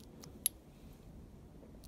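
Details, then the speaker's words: DeLorean Bosch 0280170400 cold start valve, unclogged with brake cleaner and powered on the bench: crisp, sharp clicks as it opens cleanly; solenoid now working properly. "i've been trying to see that they're cleaning out the bottom yeah that sounds perfect i don't know if you can hear it or not cool take the power off"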